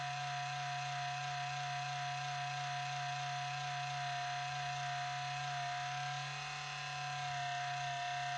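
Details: 4-year-old HP Pavilion 15-209tx laptop (i7-5500U, GeForce 840M, 1TB HDD) at boot, noise started after a cleaning a month ago and is getting louder and longer: steady high whine with a low hum that eventually quiets, source unconfirmed.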